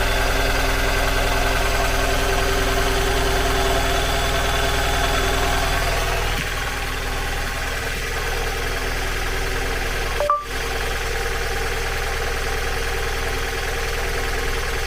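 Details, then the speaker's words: 2002 Mazda MX-5 Miata NB 1.8 idling with a misfire on two cylinders: rough, lumpy idle; unplugging and replugging the front coil makes no difference; suspected ECU fault. "so I've got the front coil disconnected and I'm just going to start it up plug that coil back in and as you can hear doesn't make any difference whatsoever"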